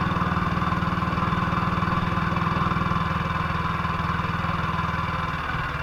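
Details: 1958 BSA C12 single-cylinder on a road test after a misfire fix; the misfire had earlier caused a breakdown, and the battery tested fine at 6.3 V. Even thumping at about four beats a second, steady and smooth with no missed beats. Sounds like it used to: normal running.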